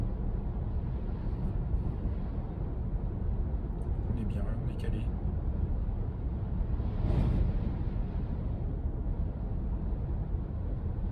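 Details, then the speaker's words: Porsche Cayenne 957S on Tracmax X-Privilo RS01+ 295/35 ZR21 Chinese tires, cruising at 80–90 km/h where road noise dominates over wind: low, steady road rumble with no hum, whine or thump; normal, quiet tire road noise. "C'est quand on est à 80 ou 90 km/h. Parce que c'est là en fait qu'on entend le plus la route et moins le vent, à mon sens."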